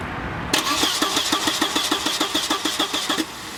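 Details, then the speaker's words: Volvo 940 turbo cranking during fuel-delivery test with battery freshly charged; steady cranking about three turns a second, never catching; no fuel coming from pump, either relay issue or bad inline fuel pump, found to be the failed inline fuel pump. "it looks like there is no fuel coming out of that pump so let's see it's either gonna be a let's play shoe or a bad fuel pump"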